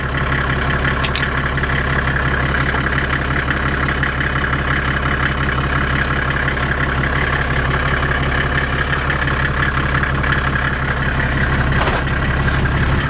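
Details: Land Rover Defender with OM606 six-cylinder diesel and automatic conversion, idling in gear after the gearbox fault was fixed: steady, even diesel idle under load, smooth rhythm, no clunks or whine; driveline healthy.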